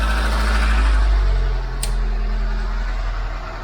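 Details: Ford Mk5 Cortina 1.6 GL Pinto engine just fitted with an Accuspark distributor, idling cold with the choke pulled out after starting straight away: steady even low rumble with no misses or knocks; normal healthy idle.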